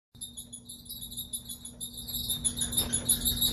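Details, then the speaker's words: Kenmore dryer running: rhythmic high chirping squeak about three times a second from worn, debris-filled drum support wheels; fixed by replacing wheels, belt and tensioner. "have this noise in your dryer this is the camber dryer same as a lot of uh other dryers that is coming from the wheels the wheels that support the drum"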